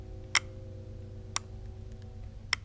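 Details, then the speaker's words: Bobcat 873G traction lock relay bench-tested off the machine with 12 V from a PC power supply. Three crisp clicks about a second apart over a low hum. The relay switches cleanly; owner suspects its seating in the panel causes the intermittent 15-02 error. "that already tells me that it's probably okay the relay is operating on the inside it's closed it's making a connection across the two pins that are still open"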